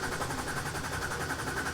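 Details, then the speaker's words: Wrecked BMW 330i from auction, restarted after calibration. Idle surges and stumbles in an uneven pulse several times a second, still as rough as before. Inlet camshaft timing is incorrect, with the adjuster shaft not moving. "still rough no so just as bad so it's starting it's running roughly"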